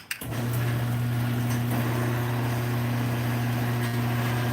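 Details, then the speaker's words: Garage door opener running without the door: loud steady low hum with buzzing drone; owner suspects the trolley vibrating, back lens, front, or a screw. "Part of that's the trolley vibrating as well. Yeah, listen to that. Listen to how loud that is there."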